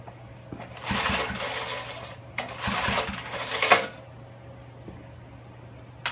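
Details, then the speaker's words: Older Snapper garden tiller, 5 HP Briggs & Stratton horizontal shaft engine, choke open, throttle wide open, carburetor cleaner sprayed in: two rushing recoil pulls with not a single pop; turns over but won't fire, ignition problem suspected. "Throttle's wide open, and give it a couple pulls, see what it does. Not even a sputter."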